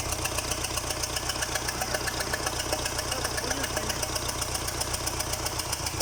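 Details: Liebherr 924 after repair: steady diesel idle with an even beat of about four pulses a second and no knocking or misfire; engine runs cleanly.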